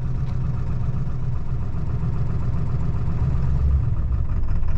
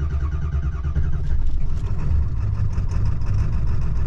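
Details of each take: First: 2002 Ford F-250 7.3 L Powerstroke diesel, cold start: normal idle at first, then about two minutes in it falls on its face into a lumpy, loping idle as if running on about half its cylinders; truck shakes violently, no power. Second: 2002 Ford F-250 7.3 Powerstroke diesel, chilly out, hard first start after glow plugs; deep steady clatter with even rumble, no stumbles; normal cold idle.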